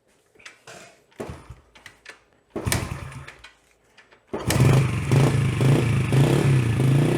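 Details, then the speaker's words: Yamaha TT-R110 revival, first start after carburetor cleaning and remounting: several cranking tries, then a low, lumpy, uneven burble, running slightly rich at the bottom end before the carb screw and idle are adjusted. "just a little rich on that bottom i think i need to pull this off let's play with this screw and turn it in then we'll turn our idle back down"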